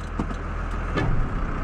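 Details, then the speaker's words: An 2004 Ford F350 swapped to a 5.9 Cummins diesel idles steadily, then gives one heavy thud engaging reverse. Shifts are still aggressive despite raising the TPS limit in the tune to smooth them. Harsh reverse engagement clunk. "and and it just jerks way too hard"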